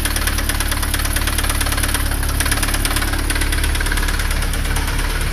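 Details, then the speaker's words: Chevrolet Astra 1.8 engine at idle with oil pressure light on: loud, hard knocking roughly three or four per second over a rough idle; rod knock. "Dá uma olhada no barulho, cara. Olha aí."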